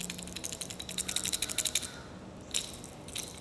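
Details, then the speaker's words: Garage door roller rocked by hand before replacement; quick bursts of light metallic clicking and rattling from excess wiggle, worn loose roller bearing causing a noisy, clanky door. "All that wiggle. This shouldn't be there."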